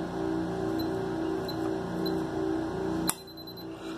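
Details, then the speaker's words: Connect Senha keypad set to pulse mode, wired with two power supplies to an electric lock: short keypad beeps after the user code, then one sharp clack as the solenoid pulls in; the lock releases normally. "Vocês ouviram o barulhinho aí da nossa fechadura elétrica. De novo para vocês verem."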